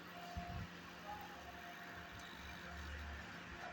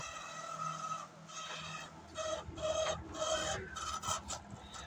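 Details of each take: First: LG microwave oven cooling fan after repair: the fan had been noisy during grilling and was freed up and refitted. It now gives a steady low whir and even hum with no rubbing or rattling, running quietly. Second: LG microwave oven running on grill for 10 minutes: faint irregular scratching rasp over the running hum, from the cooling fan motor; motor was removed for repair.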